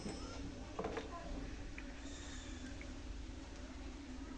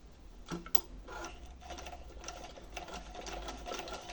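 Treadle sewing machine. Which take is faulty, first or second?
first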